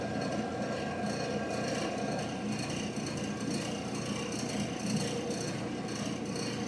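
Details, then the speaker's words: Old General Electric gas clothes dryer that does not heat, door switch held for test: steady drum rumble and rubbing, igniter glows but no gas valve click, valve not opening; likely one of two valve coils faulty. "ya vieron que no hizo ruido lo que viene siendo la válvula del gas no se está abriendo pero si prende el inadi cuando la volver de algas se abra debemos escuchar un pequeño clic"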